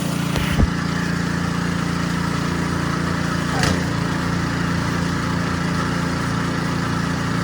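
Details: Ariens Sno-Tek 24-inch snowblower, model 920402, 208 cc engine, after the impeller clunking fix: smooth, even engine drone with augers and impeller turning, no clunk or rattle; auger and impeller running healthy.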